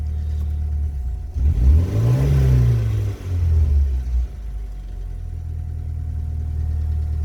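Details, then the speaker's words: BMW E30 M40B18 turbo project (turbo not yet connected) on a standalone ECU after its first start: revved during autotune with warm-up enrichment off, kept a bit rich. Engine blips smoothly up and down, then settles to a steady, even idle without knocks or misses; normal revving. "so the autotune is on, and febo will rev it a little bit all the way up here, so it can correct the cells by it self"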